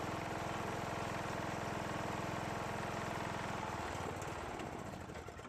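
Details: John Deere riding mower after years of storage, which stopped while cranking, running after valve lash adjustment, carburetor bowl filled via fuel line, starter jumped: single cylinder thumps at a steady beat about 3.5 per second, then winds down; runs fine.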